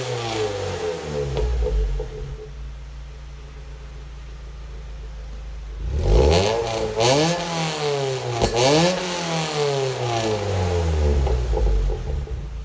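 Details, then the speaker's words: Recently installed Goodwin Racing Helmholtz exhaust, car stationary, free revs without load heard from rear and underneath: smooth rise and fall with a hollow metallic rasp from the Helmholtz chamber, far worse under wide-open-throttle load while driving. "I can definitely hear a hollow metallic sound coming from the Helmholtz chamber area itself, but I find, and my wife concurs, her ears are better than mine, that under load, wide open throttle as we're driving, it's far more pronounced than we can rep"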